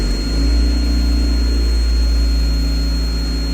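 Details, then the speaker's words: 2014 Fiat 500 MultiAir four-cylinder idling after repair for a cylinder four misfire caused by a cracked MultiAir VVT solenoid pack: deep steady idle, somewhat noisy but no misfire, firing on all cylinders. "sounds pretty good what Fiat is it noisy but she's not missing"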